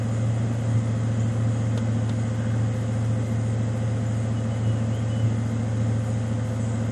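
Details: 1995 Ford Mustang GT V8 (OBD1) during KOER engine-running self-test via jumpered EEC self-test connector: RPMs shoot up two to three minutes while codes output; steady low even hum at raised idle, no knocks or misses.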